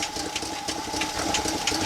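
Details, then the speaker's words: Fast, light, uneven ticking over the thin idle of a 1965 Chevy C10's 283 small block, continuing with the fuel pump off, so the pump seems fine; a lifter or top-end tick is suspected, not confirmed. "I hear clicking Dakota I do here tapping as well"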